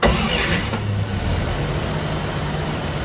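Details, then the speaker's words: 1949 Dodge B-1-B half-ton pickup, 218ci flathead inline-six, 12-volt system with new battery, cold start after sitting overnight: short crank catches almost at once, settles into steady, even idle with no misses or knocks; clean cold start. "This is a cold start, so I wanted to show you. This hasn't ran since yesterday, and go ahead and start it"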